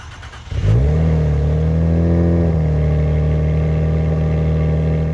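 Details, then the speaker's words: Salvage-auction turbocharged car with just over 1,000 miles, low on fuel: quick crank, catches at once and settles into a steady, even low idle with no knocks or misses; healthy cold start. "This thing is low on fuel, but it fired right up."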